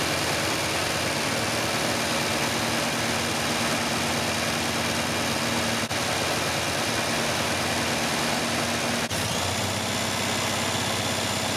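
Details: 1974 MGB after full engine rebuild, first runs: engine idles steadily with a busy, slightly uneven hum, no rise in speed; struggles to idle without choke; carb-cleaner spray around carb base and intake found no air leak, retiming still planned.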